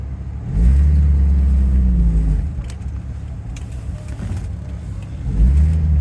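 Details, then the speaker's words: Budget Rolls-Royce Silver Shadow with SU carburettors, test drive after a tune-up but before proper carb tuning: engine pulls up smoothly in two clean rising surges with none of the earlier part-throttle hesitation; not perfect but running much better. "well it's still not perfect but it's running way better it doesn't choke anymore look I I can give a guess and it just starts going"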